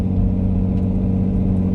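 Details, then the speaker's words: 2006 Nissan Murano SL 3.5L with limp mode and weak acceleration, new battery, somewhat warmed up, driven under light throttle: a steady low drone; owner wonders if it is timing chain guides, exhaust/muffler or stolen cats; exhaust drone, cause unconfirmed. "So could this be the timing chain guides or something making this noise, or this is just a exhaust muffler sound?"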